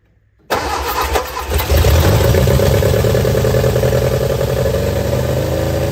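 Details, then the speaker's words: Austin-Healey Sprite barn find, engine freed from seizure, head just refitted, carb bowls full, jump pack, on choke: cranks, catches at once, then runs unevenly and lumpy as throttle is worked; freshly revived engine not yet settled. "wants to run try to work the throttle and the choke at the same time"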